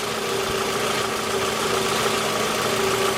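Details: Faint steady mid-pitch electrical whine over a smooth idle with a charger/load tester hooked up; noisy alternator, whine fits failed alternator diodes.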